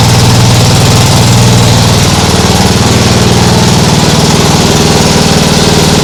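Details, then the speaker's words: Nibbi G619 walk-behind tractor engine after carburettor cleaning to fix hunting; smooth, even single-cylinder idle at low throttle, no surging, like a sewing machine. "doesn't that sound better yeah that sounds much better like a sewing machine that sounds great really great"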